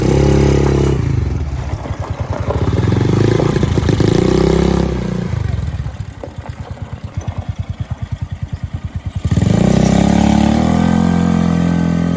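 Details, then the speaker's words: Polaris RZR 170 kids' UTV, 169cc four-stroke, original freshly cleaned carburetor, driving under load: single-cylinder note rises and falls evenly with throttle, no misses or knocks; runs smooth, though sluggish and possibly lean idling in neutral. "there they go yeah i had to run really good really really smooth good that's good to hear you happy"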